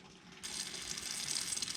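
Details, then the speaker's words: Kubota BX tractor after fuel filter change, 10mm bleed bolt cracked on injection pump after secondary filter, key on: soft rattle becomes strong steady hiss and gurgle as lift pump changes tone, purging air from fuel bleed port. "Once it reaches the top, you'll see all the air come out. And once you hear the lift pump change tone like that, you know that most of the air is starting to bleed out."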